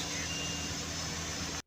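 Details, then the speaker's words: Push-start car (2012-era) that wouldn't start due to a wrongly wired aftermarket alarm cutoff: after removing the alarm and replacing the blown fuse, the engine holds a steady, even hum with a smooth hiss, no misfire or knock; runs fine. "So after removing the alarm, see, and replacing the new fuse, everything's working perfect."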